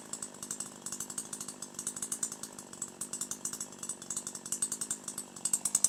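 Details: Older piston-ported chainsaw with the H screw set to 1.25 turns after another quarter-turn lean: high, crisp, even chop with slight four-stroke burble between bursts out of the cut, pulling cleanly and powerfully through the wood; high-speed mixture correctly tuned.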